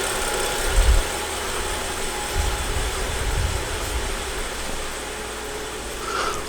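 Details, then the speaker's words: BMW F15 X5 xDrive35i, N55 engine, after misfire fix (spark plugs, MAF temporarily disconnected to unfoul cylinders): even low rumble with steady idle beat, no stumble; smooth normal idle, no codes. "There it is, running buttery smooth."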